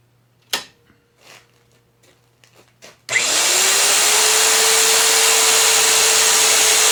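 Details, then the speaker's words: Magnetic drill repositioned on steel plate for the next hole, cutting with cooling lube; handling clicks, then motor spins up and settles to a smooth steady tone without labouring, normal drilling. "i can roll this up i'm going to put some some cooling lube in there and we'll get this drilled out"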